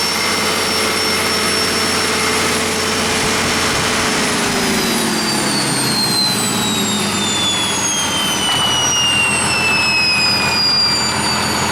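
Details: 1959 Caterpillar D337F diesel generator set, ex-hospital, barn-stored 10–12 years, about 959–960 hours, running with no load and barely at operating temperature: steady, even roar with a high whistle easing down in pitch, no knocks or misses; normal running.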